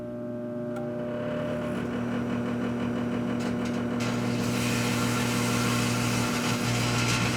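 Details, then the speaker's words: Microwave oven making plasma from a grape: steady low buzz pulsing at 120 Hz from rectified 60 Hz ripple on the magnetron, with crackling hiss building after four seconds; plasma arcing. "Did you hear that buzzing too? The electrical current that powers the microwave oven oscillates at 60 Hertz."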